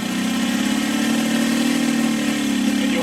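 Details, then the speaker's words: Saito FG60 R3 radial during break-in, super-rich needle setting: steady buzzing drone climbs slightly as throttle is slowly advanced, then sags and wavers, knocking down from the rich mixture; stumble on throttle advance. "see it here it KCK down because I'm so rich so now we're just going to run it like this"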